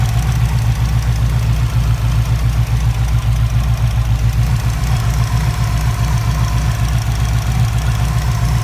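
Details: Subaru WRX with Wanbro 400 l/h fuel pump: uneven, lumpy idle with fast tick over heavy low rumble, about four beats a second; pump pulsation causing fuel rail ticking, engine error and misfire.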